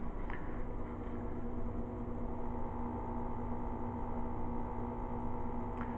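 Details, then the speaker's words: Microwave run from a 12 V DC-to-AC modified sine wave inverter (1100–2200 W unit, cheap dual-cycle batteries) drawing about 66.6 W on the display; it works, but a constant low buzzing hum runs under the oven's fan noise. "six point eight seven sixty six point six watts okay and you can hear it is working but it does hum and it's really low"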